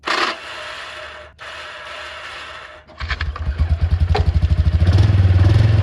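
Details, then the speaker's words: 2006 Can-Am Outlander 400 single-cylinder, sat for years, catches after scraping and settles into a steady, even thump. It was started by pouring fuel straight into the carburetor; owner suspects there wasn't enough suction to draw fuel. Normal, healthy running. "how about that boys it does run the motor sounds super healthy"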